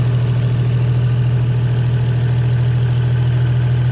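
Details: 2JZ engine idling, with the valve cover viewed after oil pressure was restored; oil now slings inside, smooth steady low idle with an even beat and no knocks or ticks.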